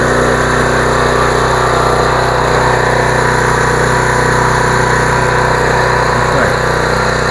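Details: Generac 2800 PSI 2.4 GPM residential gas pressure washer, warm engine restarted with choke after bleeding air from the pump, runs with a loud, steady, even engine drone, no misfires or hunting; normal running.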